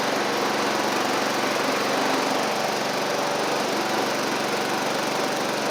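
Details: Sabre riding mower under way after drive belt and head gasket replacement, about 32°F outside: small single-cylinder engine gives a steady, even buzzing hum, no knocks or surging. Residual oil smoke from the old head gasket is burning off. Normal running.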